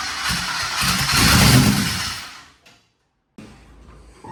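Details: Twin turbo Nova engine: catches and runs rough and uneven for about two seconds, then dies; only one bank firing because the coils on one side were wired backwards.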